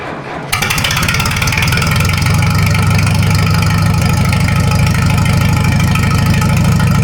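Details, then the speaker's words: Minneapolis-Moline U302 tractor engine run with muffler off, power steering pump just refitted: fires after half a second, loud even open-exhaust chuffing settling into steady idle; runs smoothly, normal idle without muffler. "I didn't put the muffler on because if everything looks good, I'd like to put everything back together. And if the muffler gets hot, then I got to wait a while. So, we're going to just listen to a loud unmuffled 302 for a minute."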